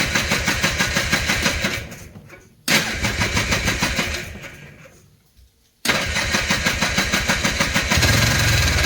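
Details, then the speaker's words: 2000 Polaris Trail Boss 250 after carburetor removal and refit, choke likely needed: even starter cranking in three spells, about three compression beats a second, never catches; owner suspects fuel isn't reaching the carburetor. "I don't I don't think our gas is getting down here"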